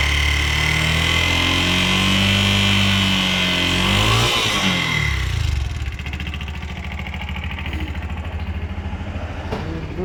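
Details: Bajaj BS6 single-plug motorcycle burning half to three-quarter litre of oil daily, tappet noise suspected: revs drop to idle with a quick even metallic ticking on each beat; camshaft rocker found seized.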